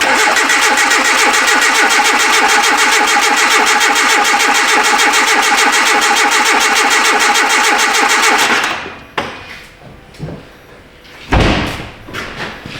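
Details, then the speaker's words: 2010 Hyundai Accent, belt-drive engine, intermittent no-start after starter and front O2 replacement: even cranking around three and a half beats per second for eight seconds, never fires; cadence suggests compression and timing fine, cam/crank correlation to be checked. "It sounds normal cranking. You know, the cadence of it sounds normal. Doesn't sound like we have a compression issue or like timing would be off."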